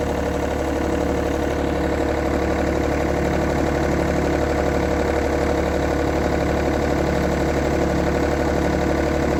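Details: 1990s John Deere F1142 diesel mower, cold January, started via jumper wire, fuel shutoff solenoid not working: steady three-cylinder diesel idle with even firing pulses about four per second, no misses or knocks. Running healthy.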